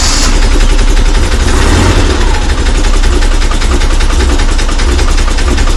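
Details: Late VW Bay Window camper after a fuel pump swap and a little cold: a steady, even low idle with a regular beat, firing cleanly on all cylinders; healthy.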